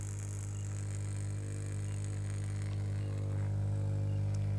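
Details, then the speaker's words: Very old Jet Power active speaker with a dented cone that will not play: loud, steady low hum with no music; amplifier hum. "ada suara berdengung Kok ndak hidup ya Ada suara berdengung pemirsa"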